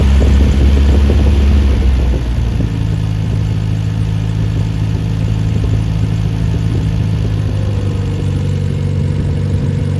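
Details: Freshly rebuilt Triumph Spitfire 1500 engine, no muffler: loud even idle rising smoothly to higher rpm with fuel pump ticking; compression 190-210 psi, oil pressure 80 psi cold, 47 psi hot; healthy.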